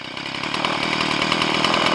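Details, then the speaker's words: Stihl MS170 homeowner two-stroke chainsaw with a 16-inch bar, during the carburettor tune after setting the idle mixture slightly lean: idle speed adjusted, and it settles into a steady, even, crisp buzzing idle with no stumbling. Normal idle. "And now we can adjust the idle speed. This is good enough. Nice."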